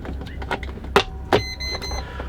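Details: Mistralvan portable air conditioner being plugged in: a couple of soft bumps, then one clear, steady high beep lasting about half a second; normal power-on signal.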